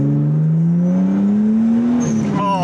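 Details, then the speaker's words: Nissan R34 Skyline GT-T, newly tuned to over 450 bhp, first drive on the road; strong smooth exhaust note climbing in pitch as revs build under load, no misfire or knock, healthy acceleration. "my God, that's lovely. That's absolutely lovely."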